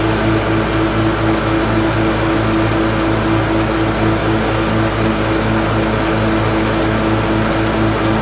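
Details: LT1040 riding mower after valve cover gasket reseal with silicone and pulley replacement: constant even drone at steady speed, no misfires, knocks or surging, smoke gone; running healthy.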